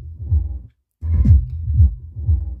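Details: Taramps TL1500 three-channel amplifier module, newer version with a TL494 in the supply: deep bass music cuts to silence and returns, bass output sounding nasal, caused by an output inductor on one channel whose inductance has changed and now passes the switching frequency.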